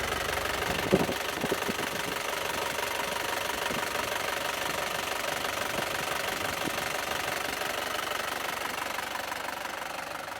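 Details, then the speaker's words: 2016 Isuzu Panther LS Turbo diesel idling with the bonnet open: steady, even, crisp clatter with no heavy knock or hunting; no blow-by smoke from the oil filler, turbo normal, engine smooth and healthy. "Dan seperti ini untuk kondisi mesinnya masih sangat halus. Dan untuk karakter mesin di Panther ini sangat renyah sekali teman-teman."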